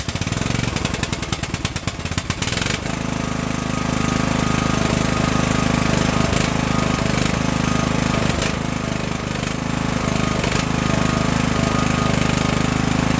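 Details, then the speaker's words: Craftsman LT1000 riding mower after Briggs and Stratton engine swap, choke on and fuel on: cranks a few seconds, catches and settles into a steady even run without sputtering; fuel tank leak suspected at the grommet. "so let's start it up and if it stays running let's just try to move it around the yard son fit the choke gas is on"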